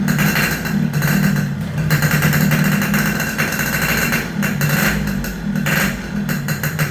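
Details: Yamaha RX King two-stroke after repairs for compression loss (worn right crankshaft seal and O-ring, resurfaced block, fixed head leak), test start while tuning air screw: crisp crackle rising and falling with throttle blips, even firing, no knocks or misfires; healthy.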